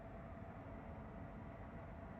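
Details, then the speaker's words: Pluggit AP310 house ventilation system: loud steady fan drone around 70 dB with constant mid-pitched hum and low rumble coming from the motors, caused by a worn motor bearing (608-2Z/C3), replaced cheaply. "around 70 decibel and yeah noise is coming from the motors."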